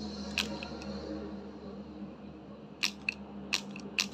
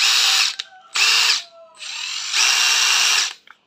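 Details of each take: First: Used Hilti 14.4V cordless tool, body in good shape: only a few sharp irregular clicks when the trigger is pulled, motor does not spin up; tool dead, fault unknown. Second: Used 18V brushless cordless impact driver (DT13-type) tested unloaded: high motor whir in short trigger bursts, rising and falling cleanly, no grinding or rattle, speed control and brake work; normal impact driver run.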